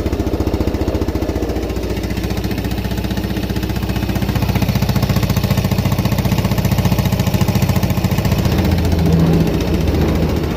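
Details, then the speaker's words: Used Yamaha Jupiter Z in poor condition; loud fast chatter about four beats a second over single-cylinder idle with sharp puffing from exhaust; suspected head/valve cover (cam, rocker) problem plus exhaust leak, clutch fault also suspected, piston to be replaced. "terus dari suaranya tadi kemungkinan besar itu ada masalah sedikit di bagian head atau di bagian deksel ya itu biasanya kalau Jupiter ini"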